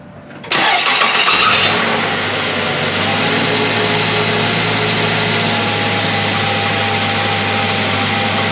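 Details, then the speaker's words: Mazda 3 after water pump replacement with belt refitted and coolant filled: quick crank, clean catch, then steady even idle with no grinding or whirring; old grinding noise gone. "There you go guys, start it up, no grinding sound whatsoever. Let this run a little bit."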